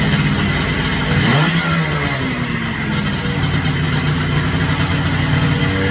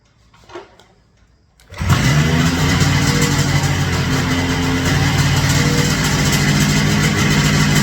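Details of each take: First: Ultralight aircraft two-stroke engine at full throttle on takeoff sags to a low, idle-like putter without stalling as the failed fuel pump starves the carburetor, forcing a landing in a cornfield. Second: Rotax 447 two-stroke on an ultralight, started with the propeller off after a power loss on takeoff blamed on a failed fuel pump; good spark and compression: catches quickly, settles into steady, even buzz with no misses; engine healthy.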